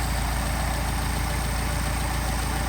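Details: Mercedes 190SL with twin Solex carburetors, idle raised from about 550 rpm while the carb airflow is balanced: a steady, even low idle with a smooth regular pulse and no misses or knocks. The carbs sound well balanced.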